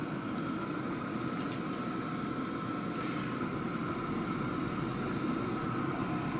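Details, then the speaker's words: Hcalory HC2 diesel heater, about 5 L diesel tank, turned up to high after burn-off: steady rushing airflow with a constant mid-pitched fan-motor hum, no ticks or wobble, slight ticking gone; fan running normally. "That's for the motor. That's the air pushing through."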